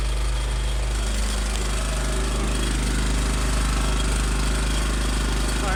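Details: Small engine after a cold start on choke, unstarted since the day before, fired first try: fast steady putter with a deep even beat, no misses or knocks; normal running.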